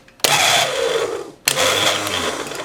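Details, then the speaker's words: 1972 Evinrude 18 HP outboard, intended electric starter tested with a power pack clipped to its wire and grounded: two short bursts of whirring spin with falling pitch, clean pinion engagement on the flywheel, no grinding; starter works properly. "engaging good let's see if I can get that one and see if you can watch the flywheel you can gauge us good"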